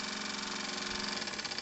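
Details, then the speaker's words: 1 cm³ twin-cylinder Stephenson-link model steamboat engine on compressed air after 20+ years on a shelf: light, fast, even chuffing with airy hiss, no knocks; runs in both directions at low pressure. "Bon en tout cas, il fonctionne dans les deux sens, à des pressions très raisonnables, regardez, 300 grammes, j'espère que je vais réussir à passer gentiment."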